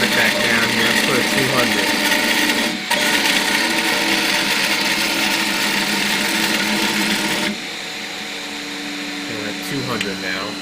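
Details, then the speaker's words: Piocreat G5 pellet-extruder 3D printer, large nozzle, 1 mm layers, extruder speed raised to 300 then lowered to 200: harsh rhythmic grinding and ratcheting as overloaded stepper stalls, easing somewhat when turned down. "yeah that stepper I can hear it kind of stalling a little bit but it's still squeezed in and now oh I hear the Stalls"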